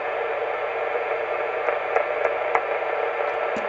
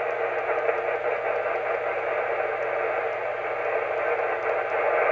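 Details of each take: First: Heathkit SB-610 monitor scope after repair of a strong hissing noise that raised the receiver noise floor: now a soft, even hiss with only a few faint pops when touched, possibly microphonic; noise gone, normal. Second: Heathkit SB-610 monitor scope connected by coax to an FT-857 on the bench: strong steady rushing hiss in the receiver audio, swelling louder near the end; faulty tube socket in the scope injecting noise.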